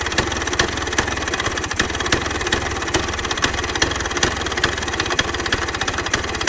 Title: 1966 Vespa Sprint engine start after rebuild